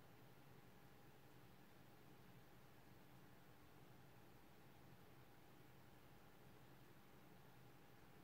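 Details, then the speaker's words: PS4 Pro CUH-7016B after dust removal and new Noctua thermal paste, in the multiplayer menu: only a faint, steady airy hiss with a low hum, about 35 dB, versus 60 dB before. The fan runs quietly. "after removing the dusts and replacing the thermal paste the ps4 is now much much quieter even after entry in the multiplayer menu the fan starts spinning but not nearly as fast as before"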